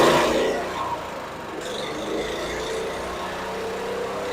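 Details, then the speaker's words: Honda GX390 in a 2005 Chuck Wagon 4x4 UTV with a new carburetor and a #100 main jet replacing the 91: uneven putter with coughs and stumbles, low power, and stalling. Rough idle, possibly misfire. "I'm still struggling a little bit with the idle carburetor so we're still struggling here the engine is still coughing"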